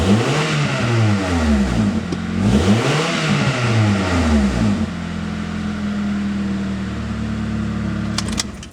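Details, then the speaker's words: 1994-1997 Honda Accord revving: raspy, blatting exhaust note that gets louder on deceleration, from a leaking, damaged muffler before its replacement. "definitely here we have a leak somewhere it actually sounds worse on camera than it did in person you can really hear the noise increase on deceleration"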